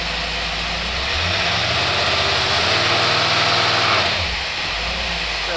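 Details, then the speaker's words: Holley 50461 two-barrel marine boat carburetor, electric choke, about 350 CFM, with fuel pump return tube, tested on a running boat engine: even, steady idle with smooth exhaust hiss, no stumble or hunting, metering cleanly. "sounds good this is a smaller CFM it's not the big 500 CFM Holley to barrel this is a like a 350 area Holley to barrel and bow carburetor marine"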